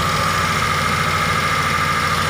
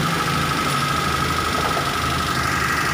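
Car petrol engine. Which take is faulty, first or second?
first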